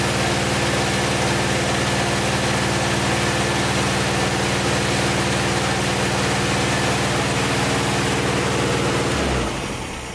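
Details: Old VW air-cooled engine from a 1956 Beetle barn find, first start after 24 years stored, compression slightly low on two cylinders: steady, even idle with a smooth low beat, no knocks or misses, then clean shutdown; runs healthy.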